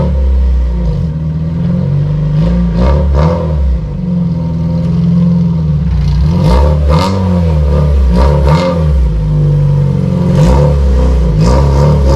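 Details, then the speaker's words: Honda CRX LSVTEC revved on its canister muffler: a loud, raspy, crackling note that gets harsher on each rev. It was loud on the freeway, and the owner suspects a broken canister baffle. "I truly think that the canister baffle is like broken, so it's not really doing its job"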